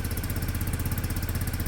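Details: Peugeot Satelis scooter, small single cylinder, first cold start with automatic choke: quick even pulsing idle, no knocks or misses; won't rev yet on choke, running cleanly.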